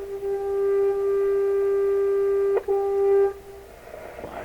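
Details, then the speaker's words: Electrohome tube radio under repair with its antenna unplugged: a clean, steady mid-pitched tone holds about three seconds with a brief dropout, then fades; the radio is passing signal properly. "God it's a radio okay let's go up the radio frequency and see what we got here"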